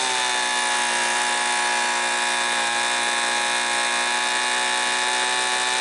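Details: Homelite Mighty Lite 26B two-stroke blower from a garage sale, which had not been running, fitted with a new aftermarket carburetor and adjusted after sounding slightly lean: steady, high, even scream at wide open throttle, no surging; normal WOT running.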